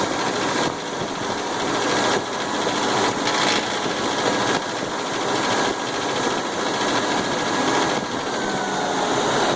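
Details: 1999/2000 Suzuki Grand Vitara engine running with a busy metallic chatter from the top end that persists after the gears were replaced; source still unidentified.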